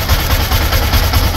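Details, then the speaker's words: Yamaha Sniper 155 single-cylinder with a clogged oil passage. Oil can't reach the top end, so the camshaft is damaged, along with rocker parts and pumps. Lumpy idle thumping about five times a second with a thin steady high whistle on top: camshaft whistle from oil starvation. "Sira ang kambol. Iba rin daw. Kaya sumipol, boss. Well, yan yung sinasabi ko kanina. Yan, isa pa yan. Langis, boss. Hindi makakyat."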